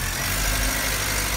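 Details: VW Golf 1.6 that was overheating, after repair and coolant refill, first start with air conditioning on before throttle body reset: steady, even idle with smooth low rumble, no knocks or misses; healthy.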